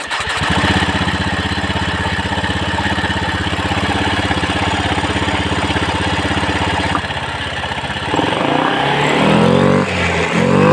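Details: Honda Beat FI scooter after repair of its sluggish, weak uphill running: idles steadily, then revs up cleanly in quick, smooth throttle blips; the fault was in the roller housing, which had made a clattering noise.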